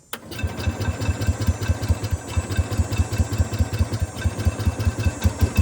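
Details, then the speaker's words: Cub Cadet 105 lawn tractor engine about a minute after a cold start, steady quick even putter with no knocks or misses; normal idle. "that's about a cold start I just started about a minute ago"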